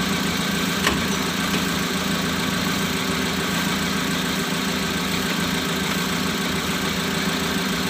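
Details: Mitsubishi Colt 120 SS pickup with idle hunting and rpm stuck above 2000, after adjusting idle with a flat screwdriver: steady even idle, low hum, no dips or knocks, settling from about 1000 to about 900 rpm, target 750-800.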